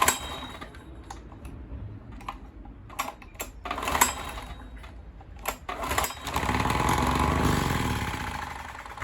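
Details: Dirty Honda EX1000 1 kW petrol suitcase generator, side covers off, after cleaning: sharp recoil pulls and clatter, then engine catches on choke and runs a few seconds before fading; starts only on choke, may need more fuel.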